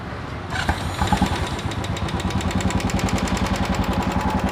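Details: Royal Enfield Bullet Classic 350 after start: fast steady tick about three per second on the thumping single-cylinder idle; mechanic suspects a loose hydraulic (tappet) component, not confirmed.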